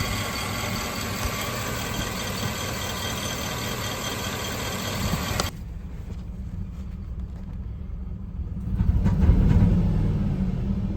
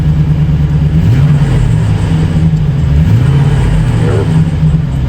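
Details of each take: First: 2008 Chevy Silverado 4.8 LS V8, hauling a load, suddenly loses power: lumpy, uneven rumble with irregular pulses, intermittent misfire with no engine light; fuel pressure fine at 55-60 psi, actual cause a cylinder bank misfiring from a lost ignition coil ground. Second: 2008 Chevy Silverado with a 4.8 LS V8 after repair of an intermittent misfire and power loss, no engine light; revs up and settles smoothly with a normal deep exhaust note and no stumble; fuel pressure checked at 55–60 psi.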